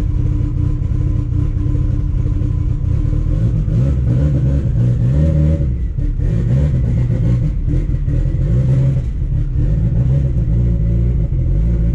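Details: Car on a road test right after CV axle and driveshaft repairs, light throttle: a smooth engine pull rising and falling with no clunks, whine or shudder. No vibration is felt and the drivetrain is normal.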